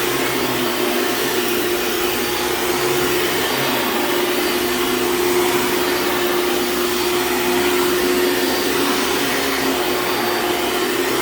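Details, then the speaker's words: Hoover Dimension Supreme upright vacuum running steadily on a living room floor with a faint, thin squeal over the motor roar from a worn drive belt that is going out; it squeals out immediately on rugs. "yeah so that belt is definitely going out you could hear it squeal a little bit"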